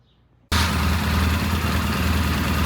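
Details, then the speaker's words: 1977 Triumph T140V twin motorcycle started after about three kicks following spark checks: engine catches suddenly and settles into a steady, even low idle with no misses or knocks; healthy idle. "Took about 3 kicks and it started right up. I was not prepared for it to run, so I didn't even video it. He kicked it a few times and there you go. It even sounds good. Idle's good."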